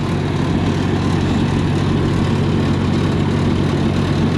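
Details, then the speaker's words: 292 Chevy gasoline engine on a 703 UniSystem power unit: steady, heavy low thumping exhaust at fast idle, louder than it should be; owner suspects ignition timing slightly off, fuel still burning at exhaust. "I think we have our timing set a little early. As you slow the timing down, it sends spark later, and then so some of the gas is still burning as it comes out the exhaust when the valve opens, and that makes it louder."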